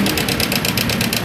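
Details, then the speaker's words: Honda Karisma motorcycle idling with rough diesel-like sound: fast sharp metallic ticking rattle, about ten per second; cam chain tensioner has jumped or gone slack and must be replaced. "Nah ini tandanya permasalahannya yaitu tonjokan keteng ini sudah loncat ataupun sudah kendor yang ini jadi harus diganti Oke jadi ini penyebabnya yang buatkan suara kasar ya pada motor Karisma"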